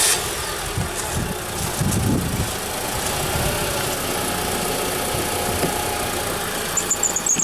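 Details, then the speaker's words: Honda car at idle with an intermittent thin, high-pitched squeal, strongest near the end, like a slipping belt or pulley; also squeals with hard steering while driving; did it under battery load, not steering; alternator going bad suspected, unconfirmed. "You think maybe that's the alternator going bad? Because these damn alternators always just blow up."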